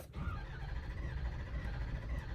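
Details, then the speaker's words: Ford Super Duty Powerstroke diesel cranking without firing, sensor at the rear driver's side unplugged to prevent starting; lumpy, uneven cranking cadence from a low-compression cylinder, heard during a relative compression test for a misfire. "you can hear that uneven cranking Cadence and that's what you're gonna listen for just listen see if it's even or not even if it's not even then you know that's where your misfire is coming from it's come from a you know Lac compression"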